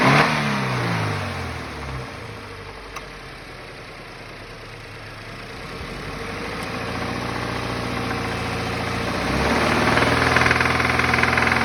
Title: FA20 on ‘15 BRZ knocking sound